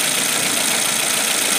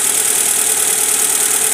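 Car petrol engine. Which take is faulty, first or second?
second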